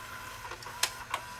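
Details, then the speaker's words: Philips VRB615 VCR after repair, testing fast-forward and reverse search, then full fast forward and rewind: a faint whirr with sharp mechanical clicks as the deck shifts modes; the transport runs smoothly and normally. "Reverse search works. And we'll stop and we'll go to full fast forward. And full rewind."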